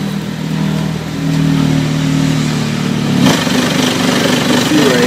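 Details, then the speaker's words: Rinnai water heater on hot water demand: loud low boat-like roar with strong low tones, shifting abruptly partway through, vibrating a bedroom window; owner suspects construction tape around the exhaust vent is causing it, not confirmed. "sounds bad it sound like a boat trying to start or having some start issues it sound like a boat is really loud it vibrates the window in the second bedroom"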